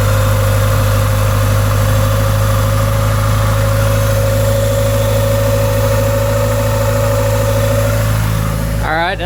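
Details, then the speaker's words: 1988 Honda Accord, first run since October 2021 on old fuel, with the original fuel pump (about 339,000 miles) refitted after the new one failed: steady, smooth idle with no misses. Fuel pressure holds 40 psi, running rich while cold. Normal idle. "so all right we're back running again so looking pretty good now"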